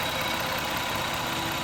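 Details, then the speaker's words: 2000 Toyota Avalon 3.0 VVT with a misfire, right after reconnecting cylinder four ignition with the engine running: even, steady idle near 664 rpm with no missed beats, running far smoother; was running rich with no spark. "oh wow that engine's running way better"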